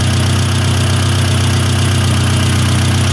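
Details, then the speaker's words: 1972 Toyota Celica 18RC with Weber 32/36 carburetor after valve adjustment, warming up with idle around 800-1000 rpm during idle screw adjustment; deep, smooth, even idle, carburetor breathing right, some valve-train tick noted; normal idle. "let's get it back off a little more hit it real quick uhhuh uhhuh yeah that's better stumbles okay well that sounds like it's breathing right"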